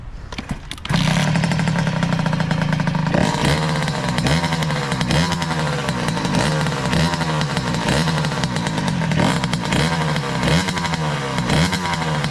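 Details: 2003 Kawasaki KX60 two-stroke on 40:1 premix, choke off: small buzzing engine with repeated throttle blips that sag and stumble instead of picking up cleanly; it bogs off choke, cause unclear.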